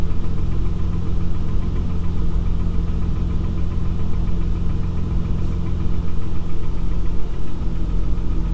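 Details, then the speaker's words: Honda V6 at 102,000 miles idling, heard from inside the car; light quick valve tapping over low hum when put in gear, from excessive valve clearance as valvetrain wear goes uncompensated. "if i put it in gear you hear the tapping"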